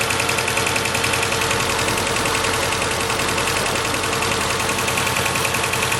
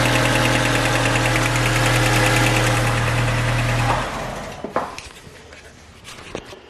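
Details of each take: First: 2006 Mercedes A150 (W169) petrol idling with an uneven, stumbling beat, about three or four lumps a second, from cylinder 4 misfiring despite fuel, spark and compression; caused by open circuit in injector 4 wiring. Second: 2006 Mercedes A150 (W169) with a cylinder-4 misfire from an injector open circuit. After bypassing the injector wiring it idles smoothly with an even beat, then shuts off; the misfire has stopped.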